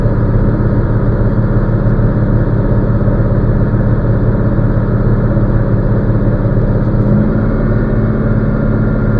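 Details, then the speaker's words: Semi truck air compressor building pressure above 60 psi with the diesel idling, governed between 120 and 140 psi; steady even compressor chugging under the idle, no knocks or leaks. Normal pressure build-up. "My governor has my air compressor is governed out between 120 and 140, as you can hear from the noise in the background."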